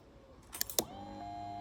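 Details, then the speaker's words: 2006 Triumph Speed Triple 1050 stored about eight years, jumped from another battery, at key-on: a couple of clicks then a steady high electric whir; fuel pump priming as it should. "hear that that was the pump that was the pump kicking in so I know the pump's kicking so if I go get some fuel now I think there's a pretty good chance that might start"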